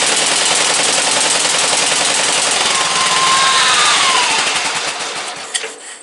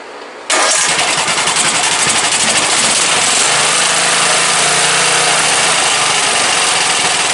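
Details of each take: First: Briggs & Stratton 17.5 OHV single-cylinder lawnmower engine, muffler fitted, bottle-fed fuel, on a substitute carburetor; rattles fast and loud then sags and dies away; runs poorly, carburetor judged junk, other carburetor to be refitted. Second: Briggs & Stratton 17.5 OHV single-cylinder lawnmower engine after a hand-cut gasket and tuning fires up quickly and settles into an even beat with no knocks or misses until shutdown; starts every time with the key, compression release working properly.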